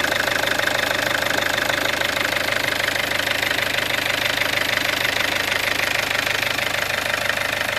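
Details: Peugeot 407 2.0 HDI diesel at 400,000 km, after replacement of the full timing set: a steady, even idle clatter with a regular beat and no misses, knocks or rattles; it sounds normal.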